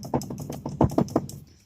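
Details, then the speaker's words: 2007 Chevrolet Colorado, passenger-side front wheel rocked by hand: quick hollow clunks about four a second from a badly worn wheel bearing with excessive play. "the passenger sides got this much play on it you can hear that"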